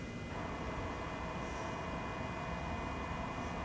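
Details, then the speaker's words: Genmitsu CNC jogging left via wireless offline controller and app: steady electrical whine with fixed tones, stepper energised and running but axis not moving; stepper motors removed and couplers checked fine, cause unknown. "motor running nothing's moving says it's jogging and I just took off my Seer Motors in the back and I checked the couplers and everything's good so I'm not really sure why I was hearing that noise and nothing was moving"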